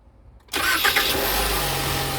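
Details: Ford Explorer starting after starter replacement: a quick crank, then the engine catches cleanly into a steady idle. Still one click, but the grinding noise, blamed on a damaged tooth, is gone.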